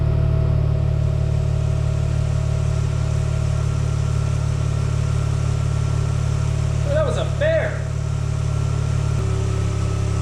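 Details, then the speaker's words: Mazda RX-8 rotary freshly rebuilt and reinstalled, first run after the deflood procedure: a steady, even, low idle drone with no knocks or misses. Normal healthy idle. "Yes. Yay! The RX-8 is alive once again. I'm really excited."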